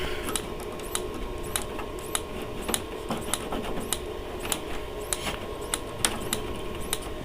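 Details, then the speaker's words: Dometic Americana RV fridge on gas mode: steady igniter ticking about twice per second with no burner whoosh, a gas smell noted, and the flame never lights; owner suspects it isn't getting the signal to open the fuel. "really trying hard to work on gas it's just not getting the signal to turn on the fuel"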